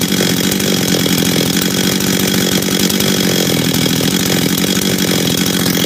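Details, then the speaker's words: Husqvarna 385 chainsaw, first start after reassembly, first heat cycles: high, clean, steady scream at speed with no bogging or surging; starts and restarts easy, throttle response good, idle good, chain brake works — normal running. "he all right um starts restarts easy throttle response is good idle's good chain brake Works"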